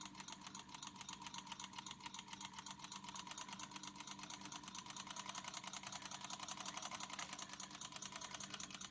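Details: Ciné Kodak Model A 16mm movie camera, partly torn down, before cleaning and light lubrication: quiet, fast, even ticking whirr with steady rhythm, no grinding or catching; mechanism sounds healthy.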